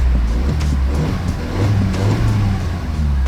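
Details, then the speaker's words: Used car on a pre-purchase check, engine revved with window down: deep even note, no tinny rattle, tappet tapping or whine; healthy engine revving. "it doesn't sound too tinny so if you hear it and it starts whining or you hear something that's not quite right that's again concerns and flags in your head"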